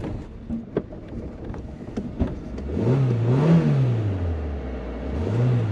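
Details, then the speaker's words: Cold start at about 9 a.m. during a cold snap on an unmodified car (no E85 kit, no remap) running 3/4 ethanol E85 and 1/4 unleaded: sharp clicks, stumbling, then catches on the fourth try with uneven rev swells. Hard cold start. "Donc on a démarré au bout de la quatrième fois, donc démarrage très compliqué à froid."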